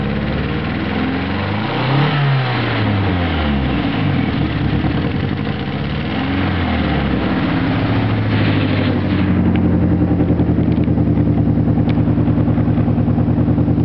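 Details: Nissan SR20DET turbo petrol engine revving up and down with a choppy, uneven beat; possible misfire, unconfirmed.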